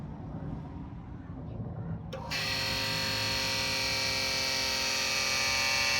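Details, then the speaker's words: Electric-over-hydraulic trailer brake actuator tested with breakaway bypass held on: pump starts after about two seconds with a steady high whine, tone changes as the piston pushes fluid to max and applies the brakes; working normally. "So there you notice that different tone. That was the uh piston in there pushing the fluid all the way back and maxing out as it was actually activating the the brakes."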